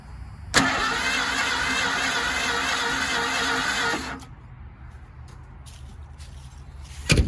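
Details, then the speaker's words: Ford engine, suspected no compression: steady fast cranking about three and a half seconds with no catch or firing, then stops; cranks but won't start, not confirmed. "Not much better. That might run. Let's see. That one might run. Oh my God. Try it again. Is there even any point? This thing is broken as hell."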